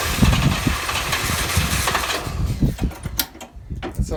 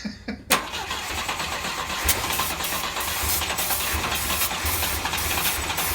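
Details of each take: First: Volvo 122S Amazon after 23 years sitting, half choke, first start attempt: cranking catches into a few ragged firing beats then fades within seconds; fuel leaks everywhere, fuel lines need replacing. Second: Volvo 122S Amazon sitting 23 years, fuel line and air cleaners off: brief cranking, then it catches and runs evenly for several seconds before shutting off; started right up, cranking and starting.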